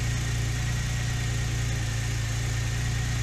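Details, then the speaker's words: Porsche 996 Turbo at cold idle, Durametric scan showing consistent misfires on cylinders 3 and 6 at the ends of the fuel rails: deep, slightly lumpy throb with an uneven beat, cylinders misfiring. "three and six they're just missing like crazy and this is a cold"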